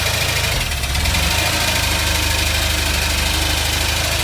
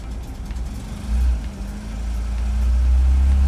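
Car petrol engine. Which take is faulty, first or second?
first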